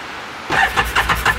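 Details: 2018 Odes 1000 X2 LT UTV that died and won't restart: starter churns in even pulses about six times a second but the engine never catches; cranks, no start, spark present.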